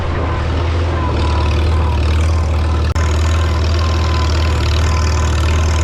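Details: 1952 Farmall Super C tractor after distributor work (rotor prong bent up; owner unsure if stuck mechanical advance caused the miss): deep steady engine drone, even low rumble, no misses or stumbles, running smoothly.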